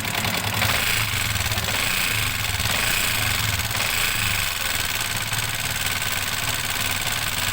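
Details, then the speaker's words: Yamaha Sniper 150 at idle: loud, busy metallic clatter and rattle like a mixer; teardown found a stretched timing chain, intake valve head damaged by the rocker arm, and worn bearing, all replaced. "Napakalaki ng sira. Maingay. So parang alam niyo na kanina doun sa video para siyang mixer."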